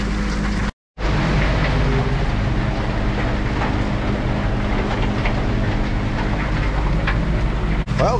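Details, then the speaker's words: Van Dale silo unloader running after setup, warm season so no wall freeze-up: constant low motor drone, no knocking, grinding or surging; runs smooth and steady, feed coming down a little slow, surface not yet leveled, weights need adjusting. "got it working feed coming down it's coming a little slow right now but it's still not perfectly leveled off yet"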